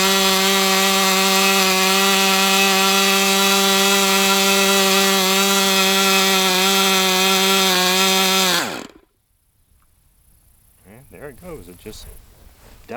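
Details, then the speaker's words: Brat 28 glow engine running hot with compression intact: high steady screaming whine for several seconds, then pitch sags and it stalls abruptly; owner suspects internal drag, not confirmed. "It's just like there's some kind of drag somewhere because you have this really high-pitched whirring sound."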